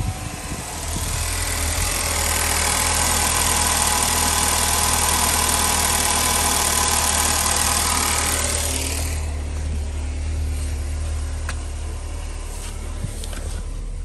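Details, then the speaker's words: 2016 Chevy Cruze 1.4L Ecotec turbo found about four quarts low on oil, essentially empty, just refilled with four quarts: rapid even ticking about three per second over steady idle; valvetrain clicking from oil starvation. "i hear that clicking all right it was reading about it was about four quarts low so basically empty"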